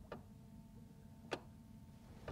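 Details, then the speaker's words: Jaguar XK8 stuck in park at ignition on: crisp light click at the gear selector each time the brake pedal is pressed, shift lock releasing; normal shift interlock solenoid click, otherwise check brake lights and brake switch. "just going to move my lavalier mic - yep so touching a brake pedal and when you're touching the brake pedal that comes out so if you're not getting that click then look at your brake lights brake switch before you do anything too complicated"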